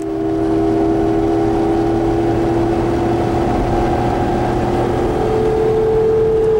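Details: 1999 Jeep Grand Cherokee Laredo with an NP247J transfer case, while driving: steady mid-pitched growling whine over road noise that shifts with speed; owner suspects bad ball bearings, never confirmed, and a rebuilt transfer case fixed it.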